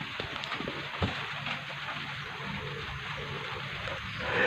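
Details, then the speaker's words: Polytron Slim TV: constant irregular crackling and popping through the L speaker while the picture shows normally, fed in from the power section; picture sometimes goes dark on its own. Crackling is from a failing flyback transformer arcing. "Gejalanya ini ada gambar biasa cuman ada gemercik. Ada suara menderik yang langsung ke speaker masuk ke power ya ke L speaker."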